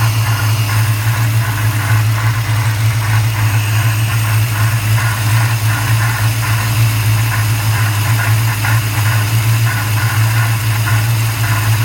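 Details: 1994 Chevrolet Caprice LT1 V8 at idle, recorded under the hood: steady hum with a soft pulsing whoosh and rub about three beats a second; cause unknown, owner seeking input; whooshing rubbing noise.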